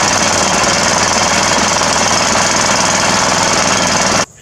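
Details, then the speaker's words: Homemade boat motor with swapped John Deere engine on speed run: loud steady hammering run at about three beats a second that suddenly cuts dead; ran out of gas, fuel level way lower than the carburetor, John Deere cowling has a fuel pump. "it's got a fuel pump on it and we just ran out of gas the gas is way lower than the carburetor"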